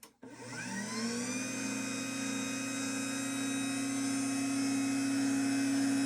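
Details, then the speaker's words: LiftMaster 87504-267 belt-drive garage door opener from 2021, with factory foam pad revisions plus one added pad: motor spins up into a steady high-pitched whine without plastic buzzing; an acceptable, normal run. "Definitely has a high pitched whine to it, but I like I said, I'd rather hear that than the buzzing of the plastic that would sound like a 90 series Craftsman,"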